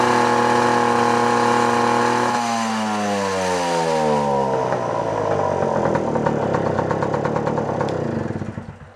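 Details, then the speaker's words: Puch Maxi two-stroke moped, a barn find that sat for 22 years, being test-tuned: runs smooth, then turns raspy and breaks up at higher rpm, four-stroking from a too-rich high-speed mixture. "so it's running pretty good except for it's kind of four stroking a little bit on the higher RPMs you can kind of hear it where it's you know it's running smooth and then it gets that that raspy kind of sound to it break it up a little that's four stroke and it's running a little too rich on the high side"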